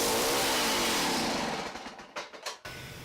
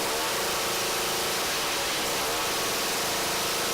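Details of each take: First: Small two-stroke ice auger engine: revs hard, then sags, sputters in uneven bursts and cuts out within two seconds; poor running, carburetor suspected before cleaning, Champion J17LM plug looks fairly clean. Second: Two-stroke ice auger after carburetor cleaning and mixture adjustment: the buzz climbs and drops cleanly as the throttle is blipped, revving up quickly without bogging; runs normally, idle still to be adjusted.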